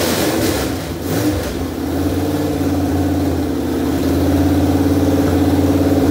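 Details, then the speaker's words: 1973 Dodge Dart engine's first start after unknown years of storage, timing being set by turning the distributor on an HEI module, weak battery: it catches with throttle blips, idles unsteadily and then stalls. "what we got going on is one my battery is like it's needs to be it we need to just let it charge up all the way cuz we've just used it way too much and it's dead"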